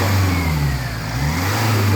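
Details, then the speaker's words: Jaguar F-Pace, 2.0 Ingenium 204DTD four-cylinder diesel, rebuilt after breaking from heavy oil consumption. Quick rev rises cleanly and settles with no hesitation or flat spot, idle stable: normal rev response. "Il répond tout de suite, il réagit tout de suite. Voilà. Donc il n'y a pas de trou au niveau de l'accélération."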